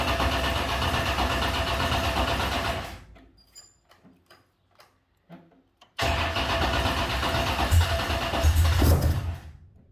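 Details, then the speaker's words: 598" big-block Ford XA Falcon catches, restarts and revs unevenly with a rough idle. Vacuum leak in the valley under the intake manifold; it is to come back off and the gaskets be replaced. "Right, running pretty, okay-ish. Got a vacuum leak down in the valley, so blow it back off."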